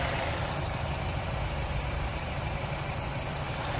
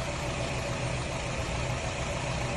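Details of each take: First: 2011 Nissan Rogue at idle after PicoScope diagnosis of a misfire following a cylinder head job: even, steady, smooth low hum with no stumble or skip; running good, idling perfect, just needs the bad coil wire set changed. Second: 2011 Nissan Rogue four-cylinder at idle after a cylinder head job, PicoScope wand on each coil: steady idle with a faint uneven stumble every so often; one coil struggles to maintain a good spark, causing a misfire.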